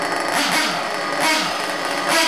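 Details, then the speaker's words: Ported and turboed Trinity Xtech .24 nitro truggy engine on an O'Donnell 97 plug during break-in; high buzzy idle, even with slight rise and fall, not loading up or stumbling, sounds good: normal idle. "boy it sounds good so all right buddies thanks again Mark dude that's awesome awesome awesome awesome"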